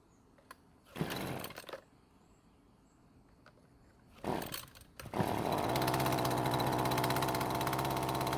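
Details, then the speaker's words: Husqvarna string trimmer after its engine was swapped for another used engine: starts on the second pull and settles into a steady, even two-stroke buzz, running better than ever with no stalling as it had before. "So as you can hear, it's running better than ever and it's not stopping like it was before."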